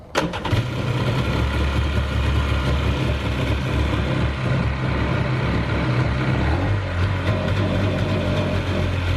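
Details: Jet ski bought flooded at auction, being rebuilt, after key read: starter catches at once, then steady low burble with slight drop in pace near end; normal start and idle.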